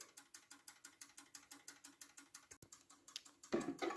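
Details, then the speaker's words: Poorly made German mantel clock movement with its striking train removed: quick, light, even ticks about six a second, far too fast. The small platform escapement is overpowered and can't be regulated, and it won't restart if stopped. "or basically it goes incredibly fast and i cannot regulate this one either you can hear it's going very very fast it's not supposed to do that as far as i'm aware"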